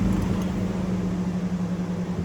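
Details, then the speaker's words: Chevrolet/GMC 5.3L truck after replacing the coolant temperature sensor, engine shut off before clearing codes: steady even fan hum with no engine beat; cooling fan still running after shutoff. "Yeah, and the fan's still running. So let's go ahead and clear codes."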